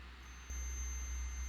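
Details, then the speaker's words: KRUPS FBB14500M bean-to-cup coffee machine showing an "unplug machine" error, with its two sensors tested on a multimeter after reassembly: a steady high continuity beep; both sensors are working fine. "You can see I got a positive for that one, beeped. Let's test the other one. Yeah, that one seems to be working fine also."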